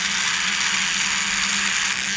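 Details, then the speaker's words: Brio Beardscape trimmer cutting horsehair under load: steady buzz, low hum and bright cutting hiss, blade speed not dropping or bogging down; trimmer running normally. "Running it through the same way, the trimmer was cutting the hair better and not bogging down. So the RPM of the blade was not slowing as I moved it through."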